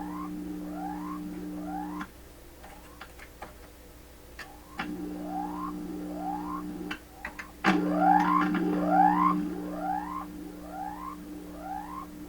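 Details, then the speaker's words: 1928 RCA Victor Model 28V radio heard through signal tracer at volume control output: loud steady low hum with swooping, warbling whistles; hum stronger than signal and audio garbling, cause unknown. "Now, see how strong the hum has become now? The hum is stronger than the signal. Now it's starting to garble up."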